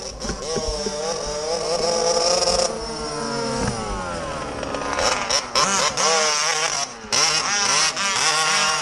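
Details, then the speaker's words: MCD XR5 ALX 48cc/50cc two-stroke minibike: high, buzzy revving with repeated sudden dropouts and stutters under throttle. Missing quite badly; engine misfire, cause not confirmed. "It's missing. Missing quite bad."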